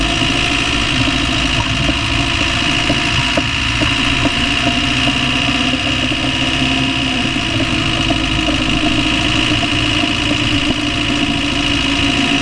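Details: Land Rover Discovery 1 300Tdi diesel idling steadily with a faint repeating tap over the clatter; knocking noise of unknown cause, owner asks what it is.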